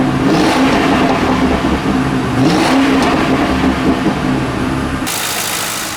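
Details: 2009 Ford Crown Victoria Police Interceptor, 184,000 km and about 8,000 idle hours: engine catches, flares briefly, then settles to an even, steady burble with no misses or knocks; a smooth, healthy idle.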